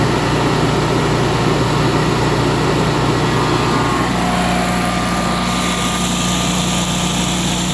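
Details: Generac 22K Guardian air-cooled propane standby generator after the faulty LP regulator, blamed for 1501 RPM sense loss stalls, was dealt with: loud, steady drone with no surging or stalling over eight seconds; normal running.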